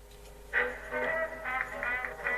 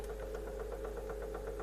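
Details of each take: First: Sound A20 tape recorder with Collaro Tape Transcriptor deck, after deck repair (previously played poorly on two speeds): music plays back clean and steady with no wow, flutter or dropouts; normal tape playback. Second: Sound A20 tape recorder with Collaro Tape Transcriptor deck, previously worked on, playing at the 15 speed setting; it doesn't wind as well as it should. Steady hum with a regular light knock about five times a second; knock source in the deck unknown.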